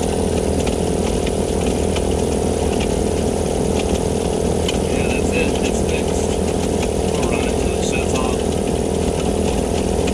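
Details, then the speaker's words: Cheap Vevor air compressor pump just after a homemade head gasket replacement, building pressure again: steady pumping about four strokes a second over a rough, gritty rumble; owner suspects a bearing going bad. "all right we're back plug your ears it's going to be loud I bet oh yeah see the pressure going"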